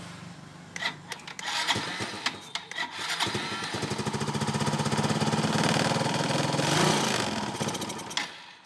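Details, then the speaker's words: Yamaha Nouvo LC scooter, spark plug ruled out: catches after a few stumbles, runs unevenly with wavering revs, then dies; long-term dirt clogging carburetor fuel passages and jets, hard starting and stalling. "nguyên nhân chính của hôm nay mình làm video là do casin sử dụng lâu ngày bụi bẩn bị tắc từ đường xăng cho đến đường dũa"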